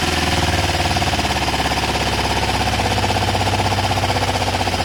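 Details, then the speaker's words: Kawasaki ER5 twin, 62,000 on the clock, low fuel on reserve, rescue project nearly finished: quick, even thrum at steady idle with no knocks, misses or rattles; normal idle. "There's not much fuel in here, we're on reserve, but just to show you that the bike does start and sound fine and there's no fuel spill, let's fire it up."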